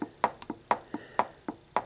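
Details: VW transaxle, ring gear rocked by hand after setup, 90-weight oil: light, crisp metallic ticks about four a second with slight visible movement. Backlash sounds right; the specified clearance is 0.007–0.010 in.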